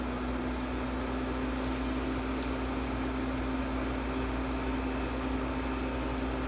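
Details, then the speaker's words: 1968 GE Fashionette 6000 window air conditioner, cleaned, fan motor lubricated, new filter foam, on low cool: low steady hum with constant tone and soft fan rush, no rattles or surging; much quieter than a Porter Cool on low. Normal running. "is very quiet unload I was surprised it's much quieter than a porter cool on low setting"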